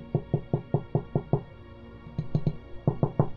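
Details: Crisp, dull single knocks on a newly fitted narrowboat porthole frame with no buzz or loose ring after them; the refitted window sits tight and solid, unlike the other portholes, which rattle.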